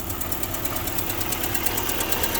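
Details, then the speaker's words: Car at about 120,865 miles idling after new motor mounts: quick, even metallic tick about ten a second over the engine hum, owner attributes to right-side valve/lifter; valve train ticking, not confirmed. "It's this right side lifter, or right side injector. No, not injector. The valve. Yeah, there we go. The right side valve is making a noise, but is what it is."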